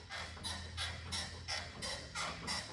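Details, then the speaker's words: 320,000-mile Toyota FJ Cruiser, 4.0 L V6: sharp creaky squeak about three times a second as suspension is rocked; worn ball joint, likely not greasable, probably needs replacing. "When you pulled up, I could kind of hear that, and that's definitely a ball joint."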